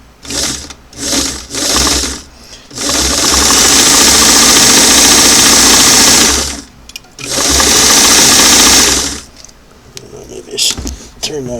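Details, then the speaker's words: Singer model 338 on a restored clamshell foot pedal with four carbons removed, tested before adjustment: motor silent, then bursts straight to a loud full-speed whir; the control acts like an on-off switch and needs its adjusting screw set. "so back to the old common problem right nothing nothing nothing and then too much"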